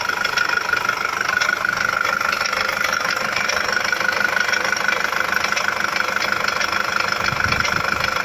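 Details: Nissan ZD30DDTi diesel at steady idle with a regular hard knock, about three a second, tied to engine speed, coming from inside the engine; source unclear and what to repair unknown.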